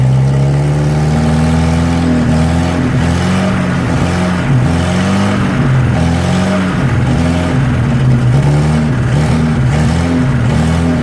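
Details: 1963 Nissan Junior ute, sat 15 years, carburetor leaking: revs surge and sag and won't settle to idle; runs better on choke. Running lean from a vacuum leak.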